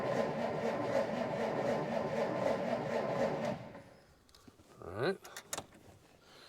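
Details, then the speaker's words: 1947 Dodge D24 Deluxe (fluid drive) that hasn't run in over 6 months; owner believes it has an ignition issue. Clutch is in and throttle pulled out. It cranks about two strokes per second for three seconds without catching. Fuel is reaching it. Crank, no start. "so it's not not starting at all I wonder if I'm getting uh any oil pressure"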